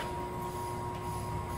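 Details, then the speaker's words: Toyota Hilux in for a routine service, owner told the rear bearing was bad: thin, steady high squeal over a low rumble traced to a dry rear axle seal, not the bearing; lubricating the seal fixes it. "Nesse retentor aqui, ó. Aí, ó. Só lubrificar o retentor que já resolve."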